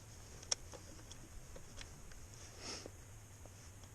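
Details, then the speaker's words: KTM 690 Enduro R, just back from shop for overheating: only faint irregular light ticks over a low hum, engine never fires; fuel pump heard priming, no-start cause not found. "let's see what happens now yep no start so let's see if this works do you have a lithium battery uh-oh no start"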